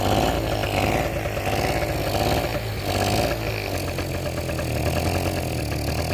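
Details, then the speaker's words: Two-stroke generator needing carb clean, leaking fuel badly from carb, no front cover: uneven running, note wavering and hunting rather than holding steady; rough surge, smoking and overfuelling from stuck float. "Cuff smoke as well, like when he takes over fueling, the float's stuck, because when you've got something quite high voltage running off it, it kind of pulls"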